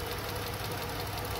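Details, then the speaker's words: 2012 Dodge Charger, 220,000 mi, check engine light on, non-Mopar coils fitted by the owner: short burst of uneven, lumpy idle with a knocking shake as the cylinder drops out. The coil connector, only pushed in, vibrates loose. Misfire from loose ignition coil connector. "that is not going to stay on there on its own now if you a DIY and you're trying to save money I mean just T strap something around here and grab this to make it stay in place but just pushing it in which is how it came in the shop like that that's not going to work guys"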